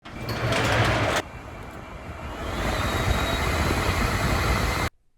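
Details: Dodge Caravan blower motor with A/C vents on: loud rushing roar and a thin, rising whistle as the fan speeds up, caused by leaves and debris clogging the cabin filter; cleaning the debris and fitting a new filter stopped the whistling.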